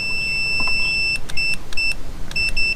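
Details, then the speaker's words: Mercury Force outboard power trim diagnosis with a test wire on the green lead: steady continuity beep cuts out and returns as the switch breaks ground; that side of the trim circuit works. "Hear it break and then it wrapped. That's because it's breaking the ground. Okay? So, that works. We know that works."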